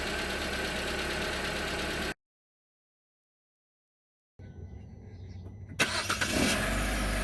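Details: 2019 Hyundai Tucson 2.0L Nu I-4, 21K miles, cold start after sitting 3+ days: catches after pause, light tapping about three per second over rough idle, fades when warm; full synthetic 5W-30, minor fuel dilution; source undetermined.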